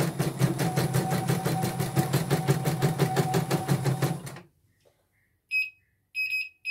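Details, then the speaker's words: Portable embroidery machine (came in blank screen, dead touchscreen, hoop not positioning, unable to embroider) test-stitching after mainboard replacement: even stitching about three per second, clean rhythm, then a few short beeps; normal stitching. "Mungkin akan bunyi cicit-cicit gitu nanti ya setelah diminyakin, itu normal."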